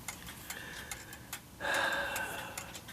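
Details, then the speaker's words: Korean 8-day count-wheel clock movement after repair (new bushings, replaced main wheel, hand-made ratchet, repaired lantern pinions), heard through a beat amplifier: crisp, evenly spaced ticks, two or three per second, steady, healthy beat. "Bean amplifier really makes it noisy at least you can hear it ticking"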